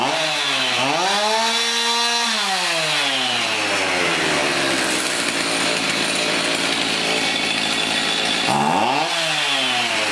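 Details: Garbage-picked chainsaw, run after refitting the throttle link and choking; fires, revs cleanly, bogs evenly into the cut and revs back up; normal running.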